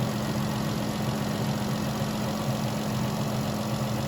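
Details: Vehicle with a no-crank, no-start in about -10 cold after a new battery: steady, even idle with a smooth low hum, no knocks or misses, charging at 14 V; normal idle.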